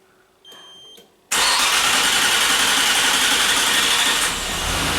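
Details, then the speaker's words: 1997 Nissan Maxima, engine hot: starter whirs for several seconds before it fires, a long crank when warm. Fuel pressure held at 30 during the crank, so the suspected fuel pressure regulator looks unlikely. Theory was gasoline fumes filling the intake manifold; evap system already checked. "It should be a long crank time if nothing changed, because we didn't replace any parts today. Let's just try it. Key on. Crank it."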